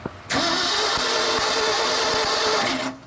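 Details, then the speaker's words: 1976 Ford F-600, first start attempt in 10+ years: steady starter whir with regular compression beats, no catch; crank no start with no spark at the plugs though the points spark, rotor or condenser suspected. "what the hell it's not even acting like it wants to send spark to the plugs unless that plug is just bad"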